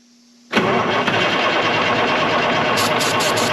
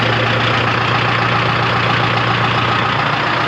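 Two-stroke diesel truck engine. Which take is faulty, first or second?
first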